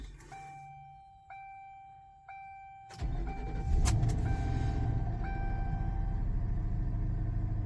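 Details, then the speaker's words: 2011 Ford Crown Victoria LX, cold start after sitting two to three weeks: door chime, then a single quick crank that catches on first turnover and settles into a steady, even idle, starting to idle down while warming; normal cold start. "and just like that she started up on first turnover and real quick while it's running and warming up just making sure that uh yep it's starting to idle down so that's good"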